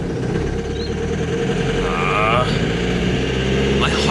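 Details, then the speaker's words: Old diesel vehicle idling roughly with a heavy knock-like clatter; the owners are unsure it is true knocking and suspect the turbo or a manifold leak. "wow it sounds awful doesn't it sounds like it's knocking but it's not knocking i mean it definitely sounds like it's knocking"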